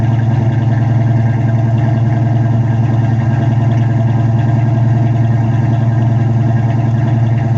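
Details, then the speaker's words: 1979 Pontiac Firebird V8 idling after sitting eight hours, with its spark plugs just cleaned: a low, steady idle with a slightly uneven beat and occasional dropped pulses. A miss at idle, cause not confirmed. "hear she's got a miss on her"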